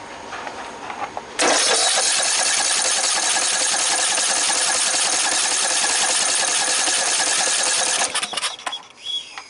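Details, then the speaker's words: Red lawn tractor, 14.5 Briggs & Stratton, being choked during fuel priming test: starter whirs about six seconds with fast even compression beats, never fires; owner suspects the rest of the fuel line is collapsed. "I bet I'm gonna have to replace the rest of that line. I bet it's collapsed somewhere else."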